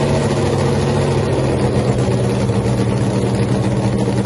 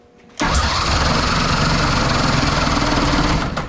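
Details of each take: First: Freaky Tiki Hemi Cuda funny car, first fire-up after a three-year build, run without nitro after earlier magneto ignition trouble, tires cold: loud, deep, steady idle with an even pulse; sounds great. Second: Nitro funny car Hemi first fire-up attempt on alcohol fuel with battery charging; loud, even churning crank for about three seconds with no firing because the mag switch was off, so no start.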